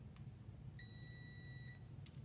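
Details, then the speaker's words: Multimeter in continuity/diode mode before testing a Mazda RX-8 six-speed manual neutral switch for P0850: single steady high beep for about a second as the leads touch. "what that's going to do is every time these two leads touch it's going to make a sound"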